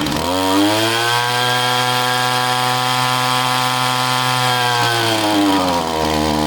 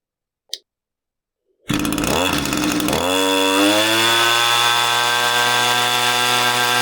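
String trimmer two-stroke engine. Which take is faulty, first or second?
first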